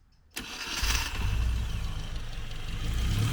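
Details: Classic Mini Cooper being recommissioned, new full exhaust fitted, starter motor previously blown, charging 13.8 V: sharp catch after a brief crank, then steady, even low idle; starts cleanly and runs smoothly.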